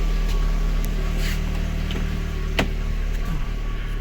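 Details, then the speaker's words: Lada Kalina with a rebuilt engine, cold and just started after a valve clearance adjustment: uneven, shaking idle from a cylinder 4 misfire shown on diagnostics; the faulty new BRISK Silver plug was replaced with a used NGK, which cured the misfire. "заводю машина троїть думаю не поняв Оце круто я відрегулірував клапана просто заводі 3 підключаю діагностику дивлюся пропуски по четвертому циліндру свічки нові"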